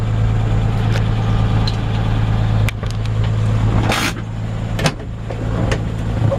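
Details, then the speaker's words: 1948 Ford F1, original matching-number flathead six-cylinder, after a drive: low, soft, steady idle rumble with no knocks or misses, just an even quiet murmur; healthy idle. "you hear the engine running there's nice and quiet"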